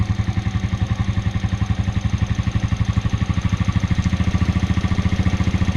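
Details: 2004 Suzuki Shogun 125R; clutch lining, clutch housing, cam chain and its rubber were replaced a year earlier. Idles with a fast, even thumping beat and a light clatter: abnormal idle engine noise of unclear origin.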